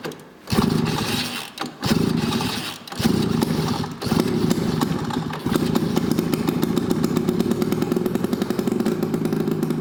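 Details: Snowmobile ("Olympic") first start in years: a few short cranking bursts, then the two-stroke catches and settles into a steady, even buzzing run.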